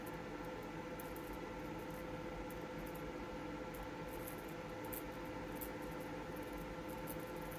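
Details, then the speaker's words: Sony PlayStation 5 power supply on load test, output still clean: faint thin high tone with scattered squeaky chirps growing louder with load, coil chirp from switching burst mode; cause suspected. "all right 250 watts and man that thing is is chirping away way there excuse me does not sound good"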